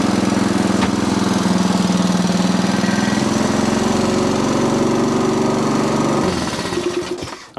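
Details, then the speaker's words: Sovereign lawnmower after cleaning off gunk: runs steady but flat, never climbing to proper speed; revs too low. "okay still not revving as high as i would like so what i'm going to do i'm going to start up again"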